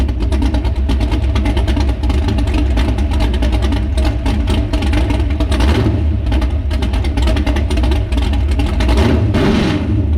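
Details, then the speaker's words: Chevy S10 truck on a lift, first start on race gas with only the timing set: loud lumpy V8 idle with uneven pulses and ragged throttle blips; floats set too low, carburetor, regulator and mixture still unadjusted. "all right so that is it running with only the timing set uh floats are down a little too low uh it smells good i love the smell of race gas well the exhaust um sounds pretty good so far it'll get better"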